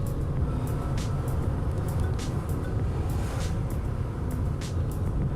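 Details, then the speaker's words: Vauxhall Corsa with a replacement engine, fitted because the old one made awful noises and had low oil pressure: a low, steady, even idle rumble with no knocks or ticks; normal idle. "we have already started it I'm not gonna lie we have already started it just to make sure that everything runs all right"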